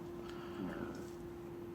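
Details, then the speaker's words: Opel Vectra C Z19DTH diesel, engine rebuilt after a crash, won't start: ignition on, engine off, a faint grunting hum from under the car by the tank. Fuel pump suspected. "І вона навіть щось там, дивіться, вмикаю запалювання і під машиною в боку щось там хрюкає непонятно."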